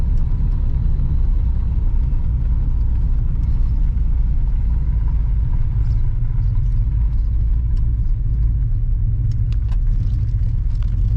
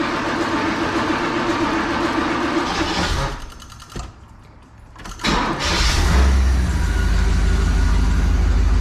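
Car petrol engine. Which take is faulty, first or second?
first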